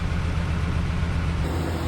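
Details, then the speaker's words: 2011 GMC Sierra 1500, 110,000 miles, with a freshly installed junkyard V8 on first run: a deep, even idle burble with no knocks or ticks, running quiet and good with apparently good oil pressure; the temperature gauge reads low. "It's running good. Sounds like we got good oil pressure."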